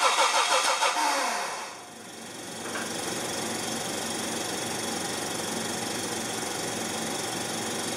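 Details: Test run of the LPG-fuelled rear-mounted Medusa engine with the distributor pickup terminals swapped from the original build wiring, feeding a GM 4-pin ignition module: after a short start it settles into an uneven, lumpy idle with an irregular pulse. The incorrect pickup wiring causes the misfire.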